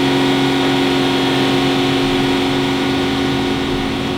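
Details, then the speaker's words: Aston Martin V12 at normal operating temperature, after three minutes at 3,000 rpm then dropped to idle, car up in the air, heard from the underside: a light cyclic tick about four a second beneath the engine hum. The feared "DB9" hot tick. "now we can hear the cyclic tick as with load the engine rpm after get into considerable heat above the piston ground and underneath this is quite noticeable quite audible"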